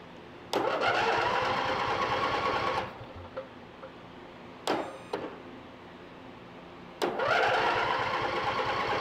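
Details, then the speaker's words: Free lawn mower tractor that would not start, fuel poured into carburetor to test ignition: starter churns in two long bursts but engine never catches or pops; spark plugs to be checked next. Cranks but will not start. "what i'm going to do is just pour a little bit of fuel down the carburetor and that'll let me know if i've got ignition well it should so let's see what happens"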